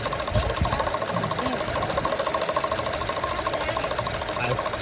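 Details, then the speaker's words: 2012 Chevy Cruze at idle: light quick ticking about three per second, first suspected valve cover; loose water pump pulley from wrong-size bolts, fixed by fitting correct bolts and tightening. "thought the valve cover i mean i thought that this was going bad but it sounds like it's coming from the water pump fully because one of the bolts was loose"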